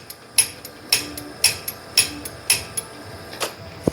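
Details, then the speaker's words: Brunswick A2 pinsetter after a new plunger and o-ring were fitted to the failed cycle solenoid: crisp, clean metallic clicks about twice a second as the solenoid snaps in properly on each rear-button press. "all right turning on it works can you hear it click every time I push the rear button"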